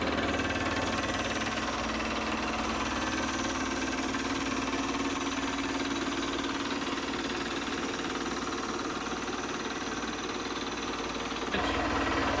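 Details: Aged Delta Rockwell stand-up scroll saw that previously shut off immediately (suspected ground fault in ripped switch-to-motor wire), plugged into 20A GFCI: even steady buzz with regular chatter about three strokes a second; runs normally.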